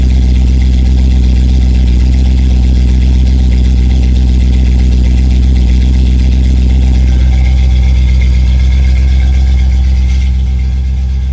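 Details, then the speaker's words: 1987 Chrysler Fifth Avenue, not run for about 6 months, just started cold in January on choke: low, steady idle with an even beat, no misses, ticks or knocks. Normal cold idle. "so good success so anyway so she runs"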